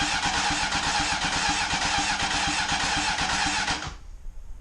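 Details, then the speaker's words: Honda CBR900RR Fireblade SC28, stored in a barn for more than 10 years, on its first crank test with the battery on charge to build oil pressure: steady, even starter cranking at about 2.5 turns per second, no firing, and the engine turns over freely. "and now it's off so we have oil pressure around the engine I'll do that a couple more times keep the battery on charge"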